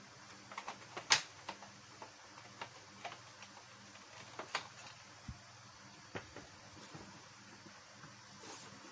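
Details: Epson printer powered on after reseating a sensor cable following an FBH fatal error: quiet irregular light ticks and clicks as carriage and rollers cycle through startup; normal self-test, nothing grinding.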